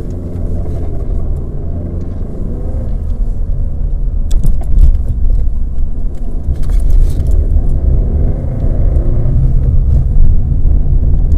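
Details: Opel (Vauxhall) Vectra B, Z16XE 1.6 16V petrol, rough, lumpy idle with an uneven low rumble; ECU fault code P0304-00, cylinder 4 misfire detected.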